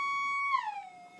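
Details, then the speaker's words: Minelab GPX 4500 detector, crossover coil, gain turned up to about halfway: steady high threshold tone that sags and warbles slightly; relatively stable, slight threshold wobble. "It's not too bad. It's getting a little bit of wobble through it."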